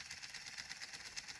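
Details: 3D-printed pulse motor with a new rotor, driven by a Hall-sensor circuit: quick, sharp, uneven pulses about eight a second as the strongly energized coil kicks the rotor; it runs choppy and rocks.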